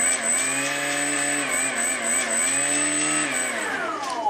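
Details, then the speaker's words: Electric motor on an RC aircraft using a DX8 transmitter with an EzUHF link: the whine dips and recovers then winds down, because radio signal dropouts stop it spinning up to full power. "okay this is exactly the problem now that pulsing was the it was basically signal drop and uh the motor wouldn't spin up or go to full power"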